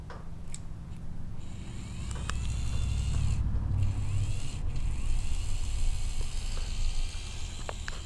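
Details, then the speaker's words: Electric in-tank fuel pump from a 1993 Ford F150, bench-tested on direct battery power; steady low hum with even whir, no rattle or surging; normal fuel pump operation. "when you turn you crank your engine you turn it on this little solenoid makes this kind of a noise"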